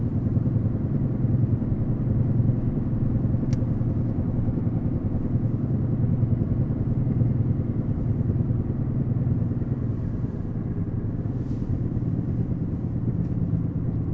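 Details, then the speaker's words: 2016 Fiat 500 1.3 MultiJet, 67,000 km, coasting off throttle, heard inside at front: low uneven rhythmic droning rumble rising and falling with road speed, felt slightly in steering; suspected worn front wheel bearing, not confirmed. "Szépen lehet hallani egyébként, ahogy hívják. Az ütemes rezgést. Aztán nyilván a motor beleszól, hogyha nyomod neki."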